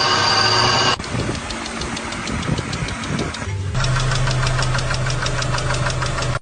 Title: Car Weird Noise ￼#noise #automobile #indiancars #weirdfacts #short